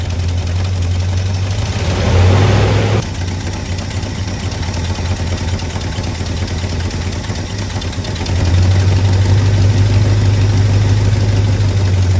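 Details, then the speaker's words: 1985 Chevy C20 V8, sat 10+ years, fresh mechanical fuel pump and new inline fuel filter. After carburetor reinstalled, engine starts but holds a steady, slow, low rumble at low idle that barely rises. Carburetor idle needed adjusting. "Nope, still idling low. Took it a minute for that fuel pump to get that gas to that carburetor."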